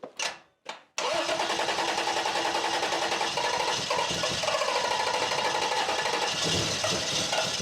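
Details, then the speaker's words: 1991 Toyota 4Runner after nearly 10 years sitting, fuel filter replaced, no longer leaking; a few cranking bursts then it catches and runs steadily. Some smoke afterward, apparently oil burning off the exhaust manifold/header. "it's alive"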